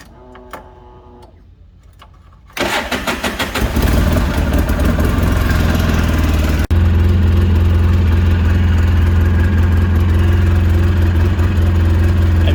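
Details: 2008 Polaris RZR 800 after replacing the fuel pump assembly to cure bogging and stalling: cranks briefly, catches cleanly, settles into a steady, even idle with no bogging; bogging fixed, idle improved.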